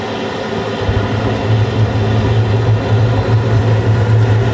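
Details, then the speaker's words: Carrier Infinity 96 (58MVB) gas furnace in 2nd stage, hot surface igniter then gas valve click: low hum builds into steady drone, no bangs or puffs; all 4 flames clean, no yellow or rollout; normal ignition. "Hot surface igniter. Should hear the gas valve click soon. There's the gas valve."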